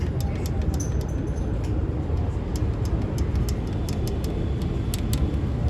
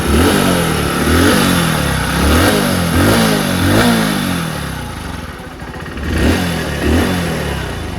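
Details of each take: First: One-year-old Hero HF Deluxe BS6 motorcycle, tappet cover off, heard up close: sharp, light ticking over a low idle rumble in uneven bursts. Tappets very loose, causing heavy noise; fix is tappet clearance adjustment. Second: One-year-old Hero HF Deluxe BS6 motorcycle after tappet setting, clutch plate change and service: several quick throttle blips rising and falling cleanly, no tappet clatter or clutch rattle at idle between them; engine noise now smooth.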